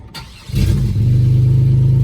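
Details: 2001 Chevy Impala, 3800 Series II V6, revived after being thought to need a motor: it catches after a brief crank and settles into a smooth, steady run with no misfire or ticking.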